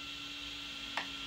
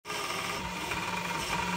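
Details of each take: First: Ultimaker S5/S7 3D printer after replacing the sliding blocks and short motor belts: soft, steady motor hum with one faint click and no rattle or scraping; normal, quiet printer motion. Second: Ultimaker S5/S7 3D printer before repair: dry, scratchy creaking and crackling of the belts, audible from across the room, over steady axis motion, with black dust above the motors; worn motor belts and sliding blocks need replacing.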